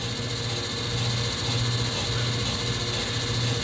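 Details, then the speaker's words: Brake drum on a brake lathe, already over its maximum diameter and out of round, causing a brake pulsation, with the cutter set deeper; rhythmic scraping bursts about twice per second over steady lathe hum as it catches only the high spots. "Roberto go ahead and set the cutter a little deeper I want to hear it you hear that at least that's at least giving you a sound of the outar round"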